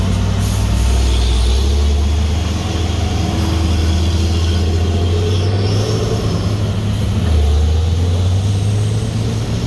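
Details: Truck on the Sitinjau Lauik road: a deep, throbbing chop pulses about four times a second over the diesel rumble, like helicopter blades; cause unclear.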